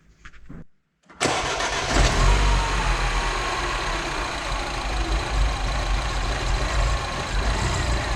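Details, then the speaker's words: MINI R56 engine of unknown sitting time, first start after swap with front end partly disconnected and service still pending: brief crank, catches, uneven loping idle with irregular beats; rough running, cause unconfirmed. "Well, how about that? It works. Obviously it's not running great because I don't know how long this engine's been sitting."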